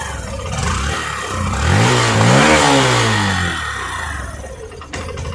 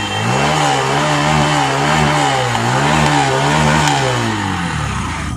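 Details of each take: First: Hero Passion Pro BS6 motorcycle that starts and runs slow but chokes when throttle is given; OBD shows no faults, pickup coil ohms correct: revs climb briefly then sag and stumble to rough idle; bogging. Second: Hero Passion Pro BS6 single-cylinder bike after fuel pump replacement fixed starting and slow-speed idle complaints, MIL lamp off: revs rise and fall cleanly with the throttle, no misfire or stumble; normal throttle response.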